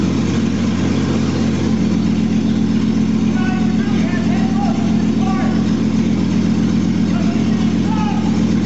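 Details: 2001 Jeep Cherokee Sport, first startup of the newly installed rebuilt engine with the exhaust not yet hooked up, after poor connections were fixed. Loud, raw idle with a deep, steady exhaust beat and no knocks or misses; it idles normally.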